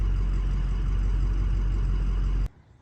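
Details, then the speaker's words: Ford 6.0 diesel, warm (oil 195°F, coolant 197°F), restarted hot after fixing hot crank no-start with passenger-side dummy plug, standpipe and new oil cooler: starts fine, steady even idle, no knocks, shuts off cleanly. "So got it off. Just like that. Started up fine."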